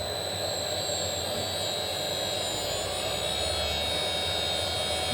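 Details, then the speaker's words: DIY CNC router spindle on its inverter at about 80 Hz, fairly fast but well below full speed: a smooth, even high-pitched whine holding steady with no rattles or roughness. The spindle is running normally. "about 80 HZ there so that's uh fairly fast but nowhere near the full speed so let's just crank it and see how fast it"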